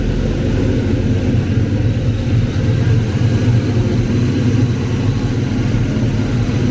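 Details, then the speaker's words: Ford Foxbody 5.0 Mustang with Kenne Bell 2.1L supercharger on the third start attempt, after fixing a couple of spark plug wires: deep, steady V8 rumble, even beat, blower spinning without clanging. Normal running; owner hears a slight squeal and may need a shorter belt. "Blower seems to be spinning and not clanging and banging, so that makes me happy."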